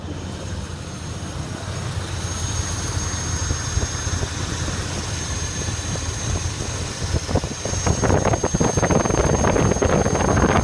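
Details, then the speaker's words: 1985 Oldsmobile Delta 88 with the 307ci V8 idling on its own but very rough: an uneven, lumpy, hunting idle with an audible vacuum leak from a bad EGR gasket. It almost sounds like a dead cylinder. "so oddly enough it's idling on its own it's very rough we actually hear that vacuum leak"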